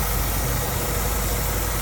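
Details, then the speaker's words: Customer hissing complaint with lean check engine light: steady loud hiss over smooth idle, not following engine rhythm, while pinching hoses with needle-nose pliers to locate it; vacuum leak at the line whose pinching stops the hiss. "Anytime you got a hissing noise, one of the ways to find it is by pinching out holes."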